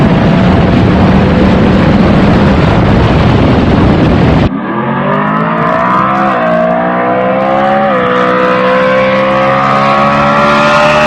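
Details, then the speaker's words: Mustang on E85 with a big camshaft, no tach, at wide-open throttle: pulls hard, pitch climbing through gears with dips at each shift; slight choppiness at the top of each shift is normal for this setup. "where it gets choppy it's probably just getting choppy that's not breaking up that's just you're gonna have to get used to e85 and a big camshaft that's just what they do different at the very top"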